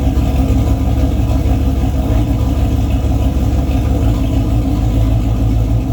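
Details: Boosted 351 Windsor V8 race car, newly working transmission with transbrake, fluid low (about nine quarts), run gently through gears; deep rumble climbing with throttle with slight uneven dips; engine stumbles more with throttle, not building boost, cause unknown.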